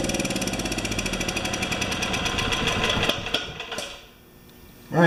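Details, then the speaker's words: Makita G2400R generator after fitting a non-OEM replacement carburetor, unloaded; fast, even single-cylinder chatter at steady speed holding constant before winding down, same RPM as before; owner hopes the carb won't leak; normal running. "so it runs as good as it did before exactly the same uh RPMs and everything"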